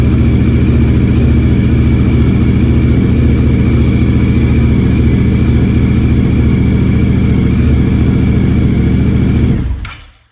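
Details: 2015 Yamaha MT-07 twin after replacing the engine killed by oil starvation (scored camshafts): deep, even thrumming with a steady beat for ten seconds, then shut off; runs smooth and healthy, no knocks.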